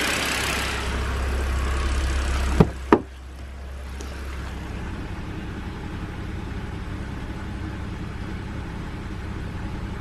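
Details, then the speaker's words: BMW N52 engine, previously rough idle with jumping revs: after a couple of sharp clicks, quiet, even idle with steady low hum, no stumbles; sounds perfect. "honestly sounds perfect now"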